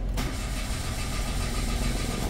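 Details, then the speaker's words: Mitsubishi Mirage G4 with 147,506 km: strong even starter cranking that never fires; crank no start, fuel pump suspected of not delivering fuel, to be tested. "ayaw mag-start malakas ang redondo pero walang start ngayon mga guys"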